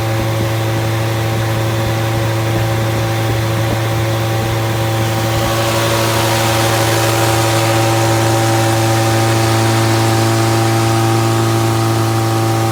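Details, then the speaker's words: Fully rebuilt Triumph Spitfire 1500 engine on run test, electric fuel pump, about 1000 rpm idle, oil pressure around 80 falling toward 70 psi, not yet fully hot; even steady idle, regular firing, no knocks or ticks; healthy. "so we're we're right at a thousand thousand rpm"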